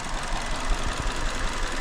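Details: 2019 Hyundai Elantra 2.0, rough running, check engine light, stalls at idle, misfire code: uneven idle with irregular low thumps, unchanged when cylinder 4's coil is unplugged; cylinder 4 dead, coil suspected over plug or cylinder, not yet confirmed.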